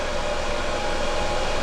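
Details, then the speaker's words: EcoFlow Delta power station powering an electric skillet (about 1,500 W) plus phone charging: steady even rush of air with faint constant tone, no rattles or pitch changes; cooling fan running normally under heavy load. "You can hear the fan on this thing kicking on when it's starting to draw power like that. Obviously the hotter the skillet, the more energy it's going to draw."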